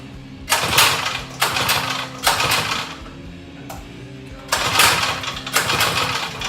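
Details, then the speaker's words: Small mini bike engine on first fire-up after adjuster and spring work: uneven sputtering bursts catch and die repeatedly, so it is hard starting and rough running; owner suspects the on-switch ground wasn't connected. Once started it purred, with a small gas drip. "At first, if you saw right there, it wasn't starting up right. Well, maybe if the ground was connected for the on switch."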